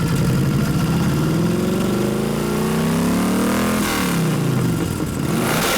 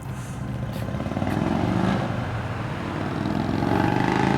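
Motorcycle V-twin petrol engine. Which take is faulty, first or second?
first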